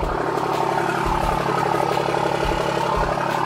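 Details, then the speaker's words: Diesel truck on first startup after a compound turbo install, a repaired coolant fitting and a sealed exhaust opening. Steady, even idle with a low, smooth clatter and no knocks or ticks; quiet and healthy. "I say baby it's really quiet it sounds good"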